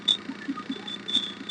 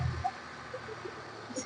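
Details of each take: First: Maruti Suzuki Omni MB-5 at idle: sharp, high belt-like chirps every fraction of a second, louder when clutch pedal lightly touched, gone when fully pressed; dry clutch release bearing squeak. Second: Maruti Suzuki Omni after clutch release bearing replacement and gearbox refit. The earlier belt-like squeak at start-up, linked to the clutch lever, is gone; a quiet, even idle hum with no squeal.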